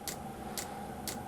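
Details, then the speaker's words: 12 V heater running a bodged 24 V dosing pump, going from self-check to fuelling: sharp even clicks about twice a second over a low hum as the pump pumps and the heater fires up successfully. Normal. "the pump the pump is now bumping you can hear the pump pumping bumpers pumping should fire up there it goes"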